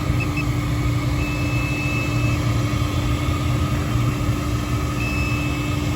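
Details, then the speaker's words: 9-year-old Hayward H-Series 350k BTU pool heater with ignition failure: steady inducer blower hum with a faint constant tone and no burner whoosh; it sounds like it's trying to ignite but won't light, hot surface igniter to be checked next. "Nothing going on there. Wonder why. Still nothing. To me, it sounds like it's trying to ignite, but I don't know."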